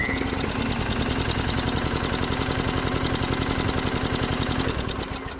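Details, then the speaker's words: Hot-bulb semi-diesel converted lawnmower engine, compression test after about 8 hours of alternative-fuel use: steady, even chuffing at about four beats a second while cranking, every stroke equally strong; gauge reads 125 psi, unchanged, healthy compression. "And that's not bad. The gauge is reading 125 psi, and that's exactly the same as it was before. So at least we know that the engine's still healthy enough to continue cutting the lawn or more evil experiments."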